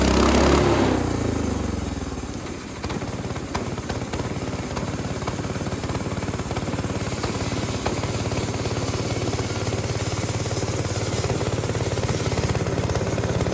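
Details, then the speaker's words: Lifan 7hp GX200-clone single-cylinder on a Frontier OS18 sawmill after head gasket and valve lash repair for zero compression: steady strong beat holds speed cutting extremely dry, hard ash with a sub-par blade, no misfire or knock; healthy under load. "This is very hard wood, so I mean, I got through it, but I don't think it struggled too much, and seemed to have lots of power. Sounded ok"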